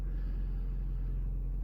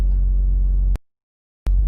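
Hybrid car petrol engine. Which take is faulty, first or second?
second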